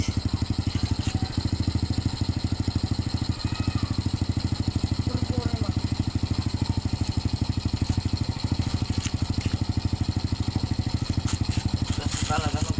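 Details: Motorcycle started after an oil change and refitting the filler cap: steady, even single-cylinder putter at idle, about three firing beats a second, no knocks or ticks. Normal idle.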